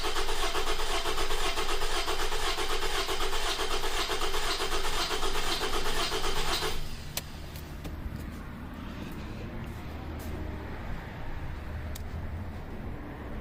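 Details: 2009 Toyota RAV4 2.5 with an oil consumption problem, cranked about seven seconds for labscope relative compression testing: starter beats come unevenly, as if one cylinder has lost compression. Suspected leaking valve, not confirmed.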